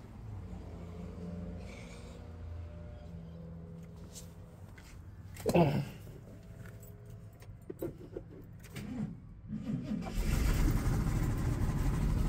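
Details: 1966 Oldsmobile Toronado after fitting a rebuilt alternator, started to test the charging system: quiet handling noises, then the engine fires and quickly settles into a full, steady roar. Starts without trouble.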